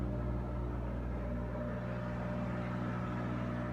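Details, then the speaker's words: Kenmore stackable front-load washer switched to spin cycle: even low hum with steady rotating rhythm, no knocking, banging or grinding; normal spin. "but in order to go to the spin cycle you just turn it to where it says spin oh let's see there we go"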